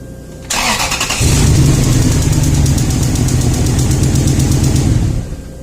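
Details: Toyota Tundra (stated as 2012 and 2000), 282,000 km, long-sat, misfire codes: cylinder 1's coil connected to cylinder 3's wiring, engine running with a sharp, regular snapping spark-tester tick; steady spark, wiring and swapped coil good.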